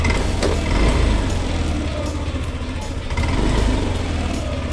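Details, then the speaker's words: Yamaha Lexi 125 VVA scooter after replacing the valve rocker arms, clearances set to intake 0.10 mm and exhaust 0.15 mm: steady, even low putter at idle with no valve ticking, smoother than before; normal idle. "pun menjadi lebih halus dibandingkan sebelumnya"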